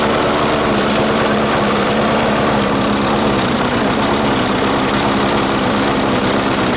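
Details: 1996 Murray 20-inch mower, Briggs & Stratton 4 HP single-cylinder, cold start at 3 °C after 10 months sitting: steady fast buzz with ragged, uneven beat; not getting enough fuel; different spring fitted to raise idle, may need spring adjustment.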